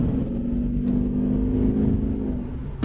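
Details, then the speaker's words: Jeep Grand Cherokee WJ accelerating after the fuel filter was replaced and a kinked fuel line repaired. It pulls up smoothly with an even drone and no dips or hesitation at any throttle. Normal acceleration. "Not a single surge. Slow, hard, fast. Makes no difference. Makes zero difference."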